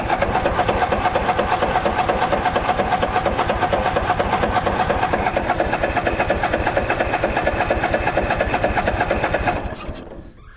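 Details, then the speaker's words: Craftsman DYS4500 mower, 26 hp Courage engine, sat over a year: fast even cranking about two strokes a second for ten seconds, never catches; fuel starvation, owner suspects clog in tank line and blows back through it. "Still nothing. H. Let me try blowing back through the line. Maybe something's clogged up in the tank."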